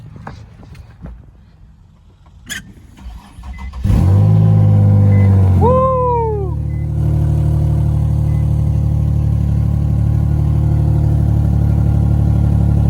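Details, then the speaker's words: Infiniti G37 that had been sitting, started on a jumper pack with the exhaust only partly fitted: cranks, fires, revs up and settles into a raspy idle puffing about three times a second from an exhaust leak. "There's an exhaust leak."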